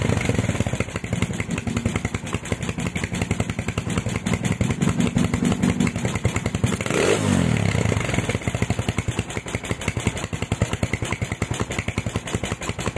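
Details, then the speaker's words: Honda Tiger stock engine, PWK 28 NGO carb after swapping to fatter GL Pro needle, before lowering pilot jet: uneven lumpy idle with wet hissing edge and brief blip; idle still rich, though revs don't hang on throttle. "Oke lur, untuk jarum yang GL Pro ini tadi ternyata hasilnya untuk stasionernya masih terdengar ngeses ataupun basah, tetapi untuk layerannya itu nggak gantung lur, RPM-nya nggak gantung."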